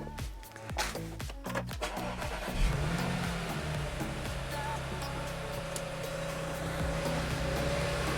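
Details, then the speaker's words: Audi S5 B8 first start after new NGK spark plugs, NGK coil packs and a Revo cold air intake: catches quickly, settles into an even idle, then revs smoothly with prominent intake sound; no misfire or knock, healthy. "oh that sounds awesome well i love that cold air intake sound what an awesome sound from that cold air intake i like it"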